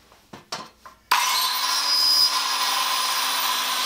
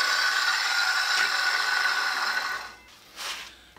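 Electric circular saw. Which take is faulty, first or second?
first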